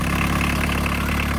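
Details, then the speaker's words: Barn-find VW Caddy pickup diesel, 154,000 miles, off the road over 20 years, first start: fires without hesitating into an even diesel clatter at idle with a regular, quick firing pulse and no stumbles or misses; healthy. "Here we go. It didn't even hesitate."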